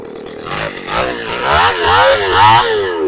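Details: Two-stroke chainsaw after a new carburetor was installed, air cleaner off and choke off: clean, even buzz rising and falling with throttle without stumbling or cutting out.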